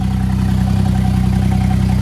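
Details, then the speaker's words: 660 cc three-cylinder turbo engine just upgraded to an N2 ECU with larger turbo and injectors, first start: even, quick idle pulse with a steady low drone, all three cylinders firing; runs smooth and healthy. "sounds like all three cylinders are firing like they should be"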